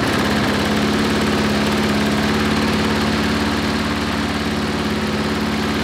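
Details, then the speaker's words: Briggs & Stratton 5-6 hp flathead lawnmower engine, tachometer reading 2160 rpm before the governor lever is bent forward: steady but low, lazy drone; governed engine speed set too low. "first okay so it was 2160 i just wanted to show you that and now we're going to twist that thing forward"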